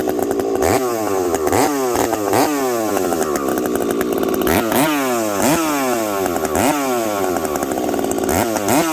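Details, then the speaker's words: Husqvarna 372XP chainsaw with UFO muffler, warmed up, cutting frozen ash at about minus 30 to 40 °C, high jet slightly leaned; revs drop and recover under load with a slight four-stroke burble, crisp and healthy. "this thing nice healthy four stroke I probably could have leaned it out even a little bit more"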